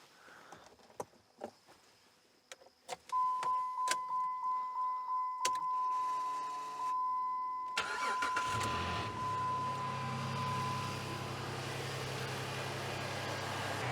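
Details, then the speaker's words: 2007 Jeep Liberty, test start after installing a new battery and checking the wiring: door chime and clicks, a short crank, a clean catch and a smooth, steady idle; it starts and runs normally. "looks like everything's fine"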